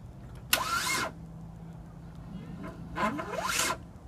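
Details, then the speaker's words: 2005 Kia Sedona with starter replaced two weeks earlier, failing to restart after running, smoke seen at the positive battery terminal: two short whirring bursts with a rising whine; the starter spins but does not crank the engine. "what the hell is that it's not turning the engine or something try it again"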